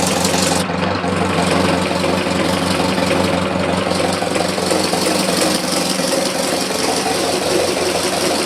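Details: 1919 Ford Model T Speedster, under 1000 miles since engine rebuild, idling; mic inside firewall where loudest. Loose irregular knock about three a second, also heard accelerating or cruising; source not pinned down, maybe not the back of the engine.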